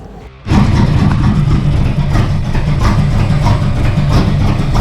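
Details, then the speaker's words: 1971 El Camino with a new distributor and starter: catches after a short crank, then settles into an uneven, lumpy, ragged rumble; running rough, timing thought slightly off, timing and tune planned. "that's just like like a little bit off timing it was nice to hear it runs like [ __ ]"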